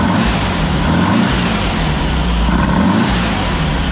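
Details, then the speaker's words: 1964 VW Beetle air-cooled flat-four, reassembled after oil cooler seal replacement with 123 ignition refitted, previously wouldn't idle: steady, even beat with no pops or stumbles; smooth, healthy running. "okay so the car is now running which is great fantastic I'm quite relieved because before it was it wouldn't even idle you know"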